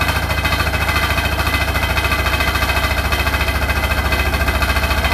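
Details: Hotpoint NSWR843C washing machine on its final 1200rpm spin: a heavy, steady roar with a loud rhythmic rattle pulsing about three times a second; the loud rattling's source was not found.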